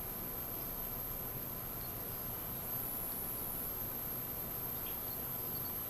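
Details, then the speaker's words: Netgear WGR614 V6 router: a thin, steady high-pitched whine that swells midway; capacitors look fine visually, but about 600 mV of ripple on the main power filter capacitor points to failing capacitors; WiFi was also slow. "capacitors look fine there's that nasty noise I was talking about"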